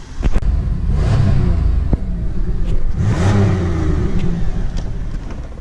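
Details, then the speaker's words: Pontiac Grand Prix GTP Special Edition on test drive: deep, even exhaust growl that swells twice as the throttle opens and eases off, with no rattle or blowing leak; the exhaust sounds healthy. "The growl from this thing's exhaust is sweet."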